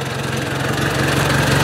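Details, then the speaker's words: Ford 800 tractor after an exhaust change: steady, even low putter at idle with no ticking or misses; the engine sounds healthy and ready for plowing. "Sweet. Well, that sounds pretty nice. I think she's ready for plowing."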